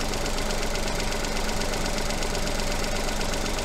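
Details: 3-cylinder non-turbo petrol engine with coil-on-plug ignition, at idle during an oscilloscope coil check with a coin on the coil. Even, steady pulse around 160 a minute with no stumbling beats. Normal idle.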